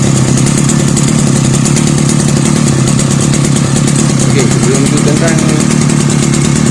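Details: Two-stroke brush cutter that would not start, now running after basic troubleshooting steps: a steady, even buzz with no surging or dropouts. It runs cleanly now.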